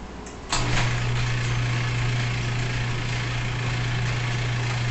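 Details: 2005 Subaru Legacy GT engine at its first start after a DIY rebuild, fuel nearly empty. A short crank, then it catches at once and settles into a smooth, steady low hum with no knocks or ticks: normal start and idle.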